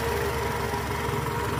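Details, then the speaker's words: 2008 Toyota Camry 2.4 V, 2AZ-FE engine, idling in R: steady low growl with a constant mid tone from the accessory belt; tensioner spring is weak, and replacing the tensioner cured the growl. "Kelihatan banget gerakan dari pegas tensionernya lemah Oke sip Oke bang ya Jadi kita mau ganti Tensioner si partnya kita udah siapkan bunyinya ini ngorok jelas banget ya"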